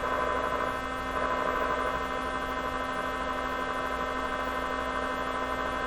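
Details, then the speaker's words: 1957 Chevy Wonderbar car radio at first power-up on battery power: loud constant buzz with steady low hum through the speaker, sounding like a vibrator power supply; source not yet traced. "that sounds like a viper i don't know is that coming out of the speaker oh yeah"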